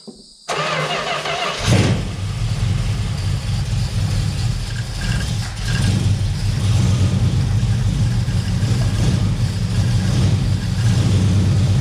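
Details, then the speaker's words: 1971 Plymouth Valiant Scamp, first run after 16 years parked: catches after a short silence and settles into a steady even low rumble with no knocks or misses; no heavy smoke or big leaks; normal running. "sounds good from the back i don't know about up here on this side does not seem to be smoking up the chop terrible no big leaks or nothing like that"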